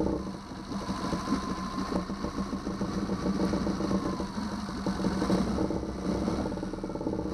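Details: 2009 Yamaha 6 hp four-stroke outboard after no-start troubleshooting: steady even mid-pitched putter, regular firing, no misses, knocks or surging; cooling water shoots far out the back; running healthy.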